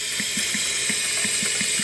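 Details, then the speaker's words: SAM 5226 portable tube drum machine that sat in a garage, powered up through a speaker: a constant, high, airy hiss over faint soft thumps about five per second; owner believes the hiss comes from the drum unit itself and the amp only amplifies it. "it does turning on now hissing noise but I think it's coming from here"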